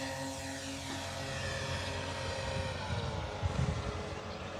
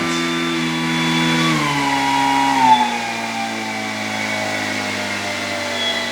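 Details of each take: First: E-flite Commander mPd 1.4m electric RC plane in flight after a crash that broke the motor magnet mount free of the foam: propeller drone with a wavering buzz and uneven shudder through throttle changes, from the loose motor mount. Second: E-flite Commander mPd 1.4m RC plane after crash repairs, spinner visibly wobbling: clean, even propeller hum through the full throttle range, dropping smoothly in pitch with no resonance, buzz or vibration; motor and prop sound fine.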